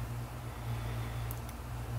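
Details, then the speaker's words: Seagate 7200.12 750GB hard drive, a parts drive, powered up and imaging before a platter-alignment demonstration; quiet, steady low spin hum with a couple of light ticks, no clicking or grinding. Normal running. "there we go so drive's chugging along it's Imaging good that's all we needed to see just that it's working"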